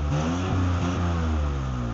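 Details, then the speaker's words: Metro engine just rebuilt, suspected timing problems, loud exhaust: revs rise in uneven steps and sag under sudden throttle, fuel starving and nearly stalling, slight bog on light throttle; hesitation on acceleration. "the main thing here is it doesn't seem to have any acceleration sudden acceleration you can just it just starves the fuel like this if you're lucky the engine catches up later"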